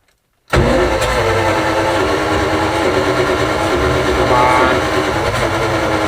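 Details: 7600 tractor diesel, restarted after repairs, coolant loss noticed: silence, then the engine catches straight away and settles into a steady, slightly rough run with white smoke on start-up; coolant burning suggested, not confirmed.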